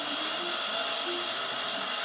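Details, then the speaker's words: Skywalker V1 coffee roaster with the fan at full speed: a harsh, loud airy roar with a raspy edge. The cooling fan itself is too noisy; the roaster was returned for being too loud, and the fan is being swapped for a brand-new one. "Okay, so he returned it because the fan was too loud, obviously."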